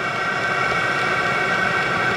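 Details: VEVOR 27,200 BTU diesel air heater (CY-7) just switched off after its first startup: steady, even fan whir with a faint high tone and no rough combustion. Normal shutdown run-down.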